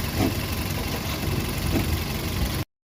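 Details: VW Polo Vivo 1.4 CLP engine after replacing the heat-damaged PCV valve pipe and the number 1 coil pack to cure random/multiple cylinder misfire. Steady, even idle, low smooth hum, no stumbles or dropouts: firing on all cylinders, normal idle.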